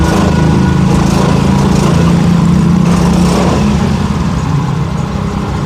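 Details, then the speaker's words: Yamaha Fino injection scooter, brebet (stutters) when ridden: revving with uneven stumbling 'dendeng' beat, feels choked as throttle opens; misfire under throttle, injector suspected. "Nah, kita lihat ini terasa mlebeb ya. Terasa mbekep. Coba kita naikkan air ininya voltasenya. Ini kita naikkan. Oke, ini suaranya seperti dendeng dendeng dendeng gitu."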